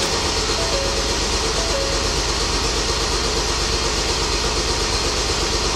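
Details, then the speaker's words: Ford Transit diesel after DEF accidentally put in the fuel tank, system cleaned to the fuel rail: starter turns over at a steady even beat, tries to fire but never starts; crank no start from air in the fuel system. "She tried to poop a couple times, and then of course now it's going to have air in it."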